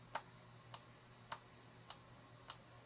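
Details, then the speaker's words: Late-1980s John Deere RX95 riding mower fuel shutoff solenoid, bench-tested with power applied: crisp single clicks about every half second over a faint hum, plunger snapping in and out cleanly; solenoid works fine. "so it's working that solenoid's good"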